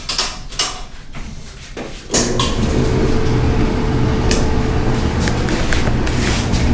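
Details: Kenmore/Whirlpool-style gas dryer after replacing the blown thermal fuse that caused no heat: starts at two seconds into a steady low drum rumble with even hum, no knocking or scraping; running normally and heating again.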